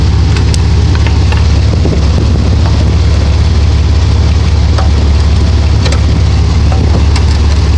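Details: 1992 Dodge Dakota idling: a heavy low rumble with scattered, uneven sharp knocks. Owner wonders whether the torque converter is the cause.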